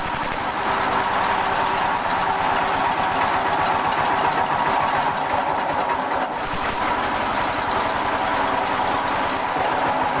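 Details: Small single-cylinder diesel thumps along at a low, labored beat with a rattly clatter, running slower than it should; fuel pump gutka setting suspected, with plans to lengthen it, not yet confirmed.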